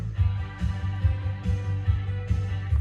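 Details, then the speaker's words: Cassette tape that stalled from poor pinch roller and capstan traction, played after an alcohol spray treatment, drying and sitting overnight: music at an even pace with no dragging or stalling; normal steady playback. "All right, so it sat overnight, and now give it a play. And as you can hear, it's not stalling out anymore."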